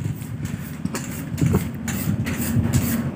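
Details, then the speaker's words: Honda Beat scooter CVT side is noisy at both low and high rpm with a rough, rattly rumble; owner says only at low rpm and suspects the tensioner; a worn CVT case bearing is suspected, maybe not only that. "tapi ini setelah dicoba bisa teman-teman dengarkan tadi saat RPM bawah berisik dan saat RPM tinggi juga berisik ya di bagian bagian CVT lebih tepatnya di sini"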